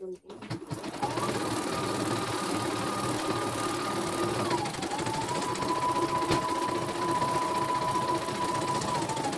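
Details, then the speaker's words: Embroidery machine from Demak, serviced for a rough grinding rotation noise, after the loose part was tightened: steady, even stitching hum with a constant high whir and no grinding or knocking, thread won't break; normal running. "Oke, mesinnya berjalan sangat lancar, tidak ada kendala sama sekali dan tidak mau putus ya."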